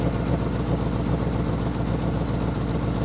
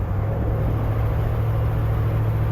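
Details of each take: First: Ford F100 390 FE V8, tired engine due for rebuild, idle mixture screws reset to 1.5 turns: loping, off-rhythm idle at three to four beats a second; owner thinks it fires on six maybe seven cylinders; misfire. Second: Ford F100 390 FE V8 driving with the faulty vacuum advance diaphragm out of play: deep, even rumble that pulls smoothly under throttle with no hesitation; owner thinks timing may need backing off.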